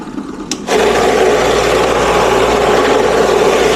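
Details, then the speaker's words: New 9 lb vibratory tumbler with rocks and water, re-run after two loose screws had come out causing leaks; after tightening, a click then constant buzzing hum with rocks rubbing evenly, quieter and spinning, normal running. "quieter. And it's spinning. That might be because it was loose."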